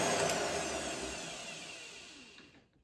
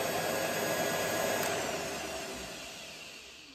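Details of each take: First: Treadmill motor fitted to a lathe/mill combo with relay-and-resistor electric brake: with the rotary switch set to off, motor whine falls slowly and fades over about two and a half seconds. Brake not engaging, caused by a switch wiring oversight. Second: Treadmill motor on mill-lathe combo at about 1,000 RPM, electric brake disconnected: steady whine and hum fading smoothly as power is cut, spindle coasting to a stop in about 3 seconds with no brake.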